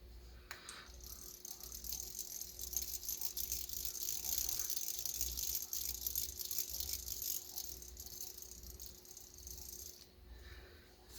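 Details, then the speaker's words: Bronson 63 Professional spincast reel (1967–69, same as True-Temper Unispin) during service, cranked before greasing: fast light dry clicking rattle about three per second from anti-reverse pawl, to be quieted with grease. "there's quite a bit of rattling from that anti-reverse pawl. And so I'm going to grease that a little bit to quiet that down."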